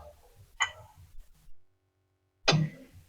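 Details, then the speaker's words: Gas stove igniter after repair: two sharp, crisp spark snaps about two seconds apart; igniter now clicking normally. "Nah, ini sudah bisa difungsikan pematiknya karena sudah saya perbaiki ya."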